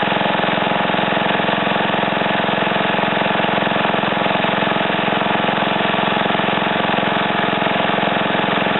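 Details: Ariens TA20A Trans-a-matic tiller after clutch reassembly, small single-cylinder engine idling evenly at a steady beat, with no misses, knocks or surging; runs smooth and healthy.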